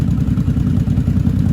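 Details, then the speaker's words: Vintage motorcycle (one of a Yamaha Maxim, Honda Shadow, Honda V45 Sabre 750 or V65 Sabre 1100) on a new Pirate battery, previous draining blamed on a bad battery: even, low throb at steady idle, evenly spaced pulses, no misses or clatter; normal healthy idle. "So this is probably just fine. Let all these guys run."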